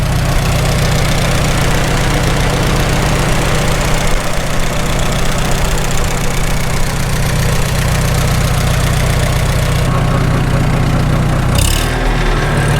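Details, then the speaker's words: Farmall H tractor after sleeve repair, warmest yet, idling; steady low drone with a repeating whir, which the owner attributes to worn constant mesh gears at the front of the transmission, not the belly pump, whose drive coupling is removed. "I can tell we're probably going to end up replacing the constant mesh gears again in front of the transmission. That's that whir, whir, whir, whir you hear. It's not the belly pump."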